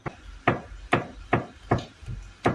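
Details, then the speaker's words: 2018 Toyota Corolla, 5 years and 100,000 km, electric power steering with a mechanical rack, knocking over rough roads; car on a lift, tie rod rocked by hand gives crisp sharp knocks about twice a second from inside the rack, which is replaced as an assembly. "家可以听到我们在用手揪这个方向机内外球头的时候，方向机里面传出很清脆的异响，说明是方向机里面的问题。"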